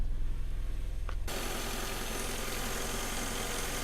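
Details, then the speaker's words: Saturn S-Series with P0340 after fitting new greased plug wires (old boots corroded): catches into lumpy idle with uneven chuff about three times a second; still missing a cylinder. "let's start her up here goes nothing that's still not sounding good"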